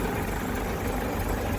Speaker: Runs and it kind of sounds like it should. But if I put this very very temperamental thing down here, the idle stop... I can just about stop it in